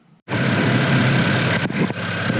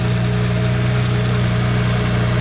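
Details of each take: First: BMW 335i N54 after replacing three pulleys and serpentine belt (previous ticking from a faulty pulley), running without radiator fan: catches instantly and settles into a smooth, even idle with no squeal, chirp or rattle. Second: BMW 335i N54 (E90/E92) at idle, sound near front accessory drive: light uneven ticking over steady idle hum; worn accessory pulley bearing, fixed with BMW pulley and belt kit.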